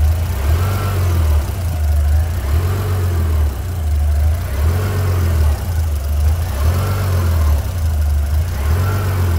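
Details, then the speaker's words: 2003 Mitsubishi Pajero NP 3.8L V6 automatic: idle surges and sags about every two seconds with hesitation, check engine and traction control lights on; code P0100, MAF sensor found with an internal fault. "so you can see the the traction control light is on and you can see the the RPM getting fructuate so you can see the the engine is rpm is not right"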